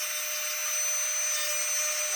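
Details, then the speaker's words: Carving micro motor after cleaning and replacing brushes, at minimum controller setting, 45,000 rpm: high, steady whine with constant pitch, no rattle or cutting out; runs like new. "We got her cranked right up to, that's minimum. And that's 45,000 RPMs right there, guys. 45,000 RPMs."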